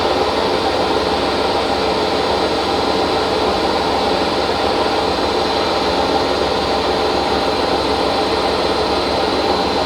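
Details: Hotpoint First Edition washing machine spinning at 1200 rpm: a loud, constant rumbling roar through the whole high-speed spin from worn drum bearings.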